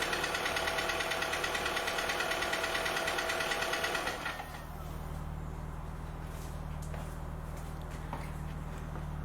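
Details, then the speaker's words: 2004 VW Polo 6N2 1.4 16-valve petrol automatic at idle, before repair: sharp, steady ticking about three per second. Suspected hydraulic tappets; an oil change did not help and there are no fault codes. The tappets were to be replaced. "Okay, so that's that tapping noise, which I believe is coming from the hydraulic tappets, and I'm basically going to try and I'm going to replace the tappets and hopefully sort this issue out."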